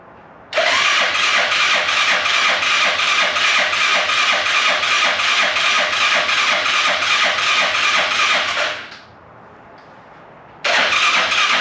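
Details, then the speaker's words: Arctic Cat Prowler UTV carbureted engine after rebuild with new pots, oil checked, first start attempt: even cranking near 167 beats a minute for eight seconds, repeated, never catching; no fuel at carburetor, fuel then squirted down carb. "Squirt a little down the carb and see what that does."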